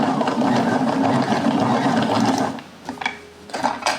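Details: Yarn ball winder (ovillador) after the fix, test-winding thread: even light gear whir and steady clicking with no catching or grinding, then it slows and stops; working fine.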